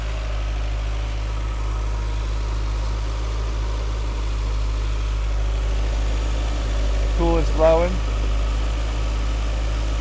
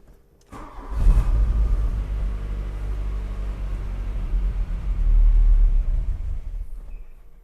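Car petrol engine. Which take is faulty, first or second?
second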